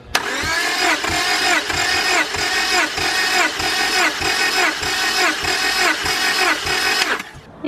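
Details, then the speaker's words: 5th-gen Honda Prelude BB6 with H22 engine, cranking during a compression test: even cranking about one and a half pulls a second, the whirring pitch dipping on each stroke; compression about 170, a healthy engine. "i know the motor is healthy because the compression test was really good like 170 is probably the highest compression that um an h22 motor that i've compression tested has ever been"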